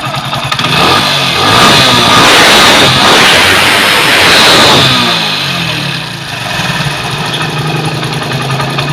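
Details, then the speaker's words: Honda CD 70 or 100cc motorcycle after carburetor air-fuel mixture adjustment: engine picks up cleanly on each throttle blip and settles back to steady idle without stumbling; mixture setting confirmed correct. "यहाँ पे बिल्कुल सही है इसका।"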